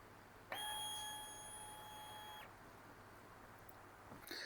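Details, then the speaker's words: TBI motorcycle ECU after flashing a TSP map: ECU repowered, throttle opened wide three times. The fuel pump whines once for about 2–3 seconds in a quiet room, normal priming; adaptive values are reset. "Fuel pump spins once for about 2 or 3 seconds, and the adaptive values are now reset."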